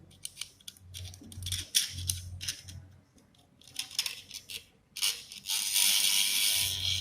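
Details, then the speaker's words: Induction motor starting coil being rewound, energised on a test lamp with a thin steel strip placed in it: low mains hum with metallic rattling vibration, showing the winding magnetises properly, normal. "Type से आवाज आना चाहिए जो आवाज आ रही है major बन रहा है इसलिए इस टाइप से आवाज आना चाहिए कि ऐसा वाइब्रेशन की आवाज आ रही है"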